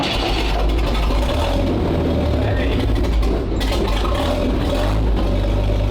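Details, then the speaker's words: Petrol WWII military vehicle, a Schwimmwagen that had rancid fuel in its tank, started on choke: deep, throaty, steady rumble with an even beat, no knocks or misses; running smoothly. "Wow. Nice. That's got a nice throaty sound to it, has it? >> Yeah. Extra throaty."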